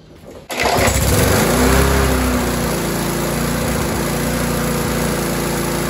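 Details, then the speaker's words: Rover 4-stroke mower after tightening the governor spring: fires after a short pull, better at idle but wavering and surging at operating RPM; lean running from carburetor air leak. "so clearly that surging then was better at idle however as you saw when I increase the RPM up to the operating RPM it was surging all over the place again"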